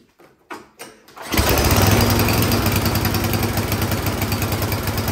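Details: Troy-Bilt Storm 10030 snowblower, gas left in all summer, suspected bad gas and clogged carburetor; started with starting fluid: few quiet knocks then catches and settles to steady even beat about four firings a second. Running normally.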